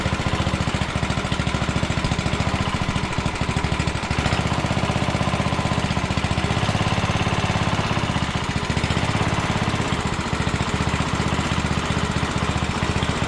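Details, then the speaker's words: 1967 Sears Suburban 10 single-cylinder engine, freshly reassembled, first start on choke with the muffler loosely fitted and throttle cable unhooked while adjusting the carburetor; it pops and hunts unevenly, and brake cleaner sprayed behind the carb changed rpm, revealing a vacuum leak. "I got some brake cleaning I shot it in behind here and it changed RPM when I did that so it's got um vacuum leaks so I'm going to take care of that"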